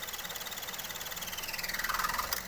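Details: 2011 Mazda 2 DE 1.5 petrol at idle in gear, foot on brake: steady squeaky throb of about eleven pulses a second swelling as the AC cycles; caused by worn engine mounts passing vibration, not low idle; mounts replaced.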